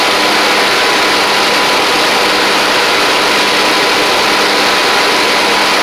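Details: Troy-Bilt Pony riding mower with replacement engine and new head gasket, slight smoke at startup: steady, even running with hiss-heavy drone, no knocks or misses, healthy at a settled speed.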